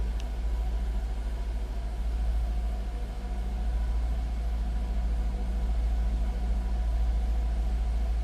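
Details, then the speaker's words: 2002 Jaguar XK8 convertible, 4-liter DOHC V8, 54,929 miles: smooth, low, even rumble at steady idle with no ticks, knocks or misses. Described as pretty quiet; normal idle. "Say pretty quiet."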